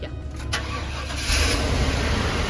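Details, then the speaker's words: RV V8 after a misfire traced to a spark arcing onto the block, with the doghouse off: catches and runs steady and even with no stumble or skip. Normal running after the fix, instantly smoother. "Instantly better, I can hear it. See the difference in how much smoother this is?"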